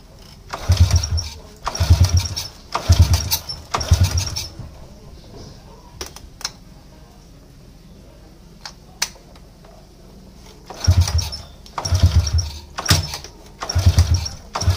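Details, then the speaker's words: Motorcycle that is hard to start and sputters when it runs: rough bursts about once a second die away with quiet gaps between attempts and the engine won't catch; weak spark at the spark plug; hard starting. "dia punya masalahah susah hidup dan bila hidup dia semput semput Memang agak Teruk jugalah"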